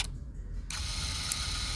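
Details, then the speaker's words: Aftermarket center-stand safety switch after install: over a mechanical whir, two crisp clicks as the cam turns, the switch opening and closing properly. "if it's clicking on and off then you're good to go"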